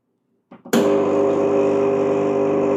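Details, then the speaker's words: Gemilai 3007Z pre-infusion cycle with P1 as pump-on time and P2 as pump-off time. After soft clicks the pump runs about 2 s with a steady buzzing hum, cuts off, stays silent about 6 s, then resumes at full pressure at 8 s. Normal. "2 seconds you can see the pump cuts off it will run silent for about another 6 seconds kick cleans again at 8 seconds with a full pum pressure"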